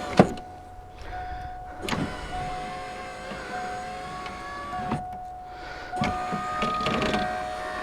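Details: 1988 Mustang after window motor install: smooth, even motor whine as glass travels, no clicking or stalling; power window working properly.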